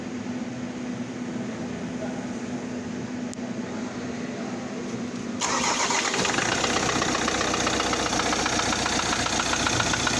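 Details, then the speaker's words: Engine under inspection as a motorhome candidate: steady knock about four times a second from low in the block, the crankshaft area, heard after cranking and catching; a knock that persists until warm is not normal, indicating a worn bottom end. "muchos le van a decir no este ruido es un golpeteo Hasta que el motor levanta temperatura no es normal motor tiene que estar parejo en ruido tanto de inyección y más abajo en la parte del cigüeñal no debe hacer ningún tipo de ruido"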